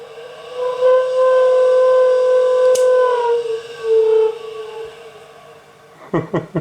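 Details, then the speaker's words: Schaublin machine electric cabinet test after rewiring relay logic: coolant pump gives a loud steady pitched howl that sags lower before fading, much louder than it should, while everything else works; coolant pump howl, cause unknown. "so everything else is all right but this coolant pump thing this doesn't sound good"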